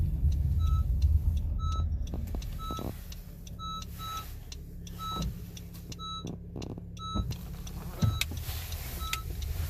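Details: Honda CR-V cabin: sharp brake warning chime repeating about three times a second over low rumble, with brake, traction, ABS and steering lights on; low brake fluid because pads are worn to bare metal and caliper pistons are fully extended.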